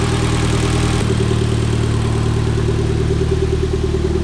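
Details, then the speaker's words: Mitsubishi Evo X after 4B11 engine swap, idling after fluids topped up: smooth, even low idle with a steady beat and no knocks or ticks; running healthy. "We swapped the 4V11 engine over the weekend, plus a couple of days here and there, but the car is running great. It's running healthy."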